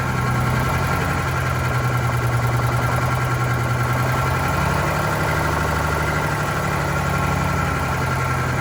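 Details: Vintage diesel bus on a very cold day, just after re-priming the fuel system with air present: it runs rough with an irregular shake about two and a half times a second. A fuel priming or air issue is suspected, not confirmed.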